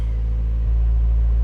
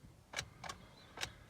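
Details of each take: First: 2003-08 Toyota Matrix XR after fuel pump replacement, started by banging on the suspect starter: low, steady rumble at even idle with no stumbling or ticking; running cleanly. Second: 2003-08 Toyota Matrix XR, first start attempt right after fuel pump replacement: only quick uneven light clicks, about four a second, engine never cranks; starter suspected to have failed.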